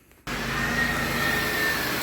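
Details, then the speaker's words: Car with a P0108 MAP sensor fault, just after fitting the new MAP sensor: it catches instantly and settles into a steady, even idle reading about 5 psi; it starts much better. "it actually starts up a whole lot better now look at that I was wrong in the value but I was close"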